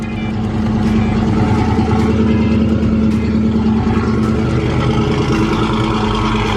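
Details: Fox Body Mustang GT after replacing a bad fuel pump relay, the missing fuel pump prime now restored: steady, even V8 rumble with a firm low beat and no misses or knocks; engine running cleanly and healthy.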